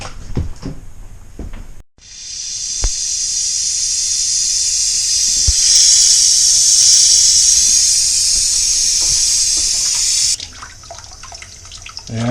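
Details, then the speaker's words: Hot tap running after a newly installed gas water heater was hooked up with no leaks at it and fired: a steady, even rushing hiss with no sputter or hammering. Water comes out nice and hot; normal flow. "got warm water yeah nice and hot"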